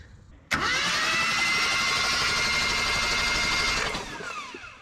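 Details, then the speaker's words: Old truck with points ignition, cranked with a jumper wire to the coil after cleaning the worn points: the starter spins steadily for about three seconds without catching. A no-start from a super weak spark. "I don't know if that camera picked it up it is sparking a super weak spark we can definitely do better than that"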